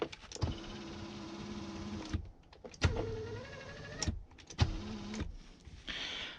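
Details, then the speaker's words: 2004 Chevy Silverado 3500 Duramax, power seat motor after the seat track was taken apart and reassembled, now moving the right way: three short bursts of smooth, steady whir with no grinding or binding, so the seat motor runs normally. "all right oh it's moving the right way now we fix that problem okay"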